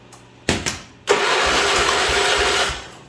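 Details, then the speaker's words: John Deere 210 lawn tractor, oil full but clean (owner fears it's blown off); starter cranking with two short bumps then steady chug of compression strokes — good compression. "yeah there's compression there"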